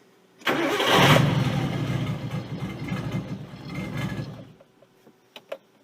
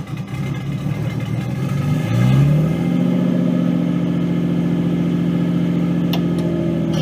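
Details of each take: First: Nissan 240SX S13 RB20DET swap, start for test drive, PCV blocked to stop a vacuum leak; engine catches then runs an uneven pulsing idle that sags as if to stall before cutting out: rough hunting idle, cause unconfirmed, owner thinks it needs warm-up. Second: Nissan 240SX S13 with an RB20DET swap, starting after a battery charge and fuel pump hookup: brisk cranking, then it fires cleanly, revs up and settles to a steady, even idle. Normal start; transmission whine is noted separately.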